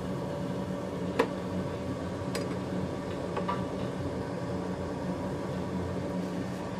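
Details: Home oil burner in a Finnish basement, a used lower-mileage unit replacing a roughly 15-year-old one with bearing noise, just after first firing; possibly air in the fuel hoses. An even, low hum with the odd light clink, no bearing rumble; normal running, quieter.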